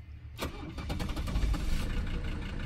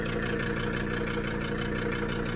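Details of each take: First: 1982 Mercedes 300SD turbo diesel, bought non-running and brought back to life, restarted after a shutdown test via the fuel shutoff: brief crank, then it catches at once into an even diesel clatter; clean normal start. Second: 1982 Mercedes 300SD turbo diesel, sat about two years, just revived: low diesel clatter at idle with a slightly uneven, lumpy beat; rough idle, owner plans a diesel purge to smooth it, cause unconfirmed.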